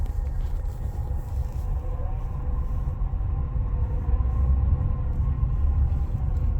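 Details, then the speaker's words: Skoda Octavia A7 idling after about 40-50 minutes running, revs dropping: deep low hum from the engine bay that comes and goes, seemingly from the AC compressor area but persisting with AC switched off; cause not found. "вот обороты падают он гудит низко он то появляется то пропадает и вот что это ну вот звук идёт вроде бы Оттуда где находится компрессор кондиционера"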